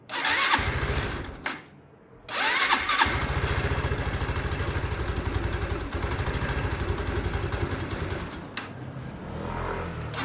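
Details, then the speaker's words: Sinnis Harrier single-cylinder motorcycle, 29,000 miles, new spark plug fitted: two short cranking bursts then a slightly lumpy idle; slow starting attributed to valve clearances out of spec when cold, just in spec warm; valves to be set. "I actually know what the answer is. I just didn't want to admit it to myself. Valves will need to be set."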